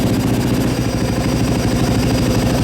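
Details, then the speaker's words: Fuel-injected single-cylinder dirt bike after pump priming: even, steady idle thump with no stumbling or hunting; idles fine. "idle sounds good. Now, you know, it idles with it in, so yeah, seems good."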